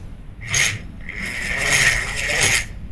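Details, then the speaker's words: Daiwa 1000X spinning fishing reel, Japanese-made, turned by hand at initial inspection: rough scraping grinds in bursts with each oscillation stroke, a strong noise of unknown source at first, traced to a loose cross-wind block screw catching the gear. "نلاحظ نلاحظ صوت صوت صوت قوي مصدر الصوت مجهول"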